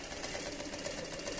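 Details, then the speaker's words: Sansei SA-MQ4 direct-drive electronic straight-stitch sewing machine running fast at its longest stitch length with G1 presser foot fitted: steady clatter plus a knock at the front each stitch, needing adjustment. "máquina tá batendo eu vou explicar para vocês o que que eu errei e o que que tá acontecendo Ah tá batendo aqui na frente tá vendo tá batendo"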